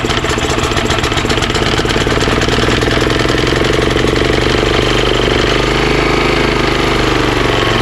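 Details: Honda GX340 11HP pressure washer engine, previously seized, carburetor leaking at JB Weld repair, started on choke: single cylinder runs steady with slight rise and fall in speed; idle surging, likely carburetor not completely clean.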